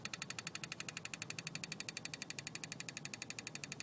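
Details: BMW E36 320i with the ignition key in position 2, engine not running: a sharp, high, even ticking four a second in the engine bay over near silence. It stops in key positions 1 or 0; cause unknown.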